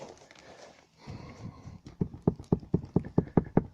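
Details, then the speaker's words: Citroën C4 hatchback: sharp hollow knocks four to five a second, hard and regular from the rear of the cabin; rear seat mounting bracket striking, paint worn to bare metal. "по-моему нашел я звук который исходит задней части вот слушайте идет отсюда есть это скоба этот звук это похоже крепление самой сидушки вот там где-то"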